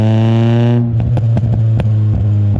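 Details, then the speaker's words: 1999 Nissan Pulsar SSS N15, stock SR20DE with pod filter and aftermarket extractors, driving: engine drone falls off throttle, then sharp irregular pops crackle through the exhaust; exhaust leak from a slight crack in the extractors. "there is a slight crack on the extractors, and it's causing an exhaust leak, and you can hear it when you're driving. It has a little bit of a like kind of sound to it, and yeah, it doesn't sound great."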